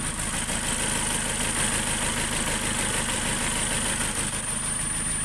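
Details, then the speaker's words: 2.0 SOHC engine after cylinder head rebuild with six new valves following a broken timing belt on an interference engine: even, steady idle, smooth low hum, no lifter ticking or top-end noise, no leaks; engine healthy. "So, but she sounds good. No lifters, no nothing. No noise."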